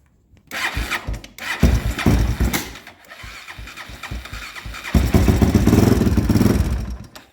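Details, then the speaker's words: 2001 Honda 400EX ATV engine, on choke with some throttle: cranks, catches and runs rough a couple of seconds, revs briefly then stalls; restarted and ran fine after turning the choke down, cause unknown. "Well, there she was for a second. Let's try to turn the choke down."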